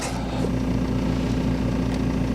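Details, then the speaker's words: BMW E46 320d Touring diesel, hot restart after glow plugs: fires straight up, no long cranking, then a steady, even low-rumble idle with no hunting or misses. Normal idle. "It's off. Got the glow plugs up. And it just fires straight up again."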